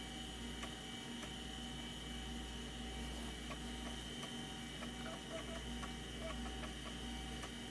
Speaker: Oh wow, that's a horrible noise! It found it.